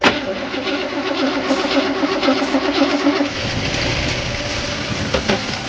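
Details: 1968 Chevy Impala last run 31 years ago: even starter churning at about four turns a second with spark confirmed, then the note changes as it briefly fires on starter fluid.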